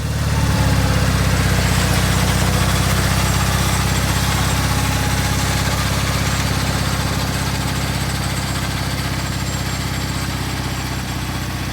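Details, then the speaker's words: Gravely 50-inch mower deck after repair, running on the lawn with the lifter arm left off: a steady, even engine drone and smooth deck hum with no knocks or rattles. Running normally; the deck grease still needs watching. "well it worked pretty good um as far as noise i don't know if uh everything seems to be okay"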